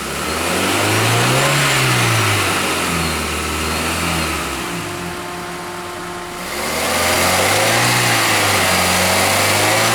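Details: 2007 Toyota Matrix, 1ZZ-FE, C59 5-speed manual, ~79,000 miles, right after a new clutch kit and Motorcraft synthetic fluid: loud thin high-pitched whine, supercharger-like, rising and falling with engine RPM regardless of clutch, gear or movement.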